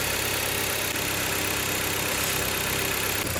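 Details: Fiat Freemont after vacuum leak repair (earlier code P2173 high airflow/vacuum leak), cleaner sprayed around intake: steady even idle, constant low hum with spray hiss, no hunting or whistling; leak fixed.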